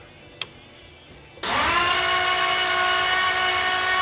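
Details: Blown 335hp Ardun flathead freshly swapped into a 1932 Ford Roadster, cranked with magneto off and fuel pump fuse pulled to prime oil: steady high starter whine, engine spinning evenly without firing; oil pressure comes up to about 40 psi.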